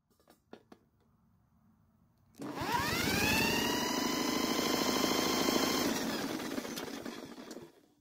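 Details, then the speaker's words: Blackmax mower that won't start, cranked during a compression test: even, regular cranking about three pulses a second with a strong beat on every stroke; 182 PSI, so the engine is not worn; normal compression. "so the reading is a staggering 182 PSI which has to be the highest reading I've ever seen on an engine for a mower that means this engine is not worn out in fact it is extremely healthy"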